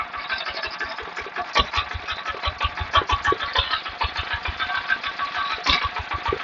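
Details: Water pump's single-cylinder 11.25 engine after repair: damaged regulator gear fixed, neglected oil changed, pipe renewed; thumping at about three firings a second, slightly uneven but running on its own without misses.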